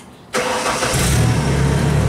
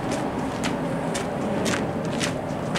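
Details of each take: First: Genie boom lift on a cold site, restart at 12.6 V battery: quick crank catches at once and settles to a steady, even idle, voltage back up to 13.6 V; normal start and idle. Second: Genie boom lift next morning after a cold night, battery 12.3 V: starter whirs freely with no turnover; pull-in coil not engaging the Bendix, possibly why it died after repeated start attempts.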